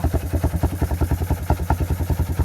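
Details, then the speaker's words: After carburetor repair, the bike runs with low, lumpy, uneven firing at roughly ten pulses a second and never picks up cleanly; it bogs when given gas. The owner suspects something in the air box; it has an air filter. "Don't know why it's bogging out like that, so if anybody in the comments can"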